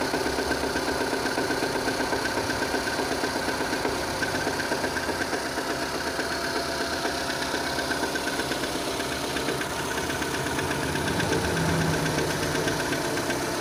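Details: 2006 Renault Scenic 2, K4M 1.6 with automatic, 202,000 km, cold idle with a steady light knock about two or three a second, coming from below; the owner says it fades and another noise appears as it warms.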